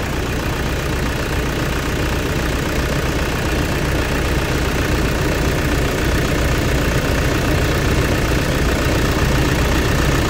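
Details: 2008 Toyota Fortuner diesel, after replacing the pinched, thin O-rings on the suction control valve that caused the crank-no-start (a shop had blamed the pressure pump). Deep, steady idle rumble, even for ten seconds with no misses or hunting; runs healthy.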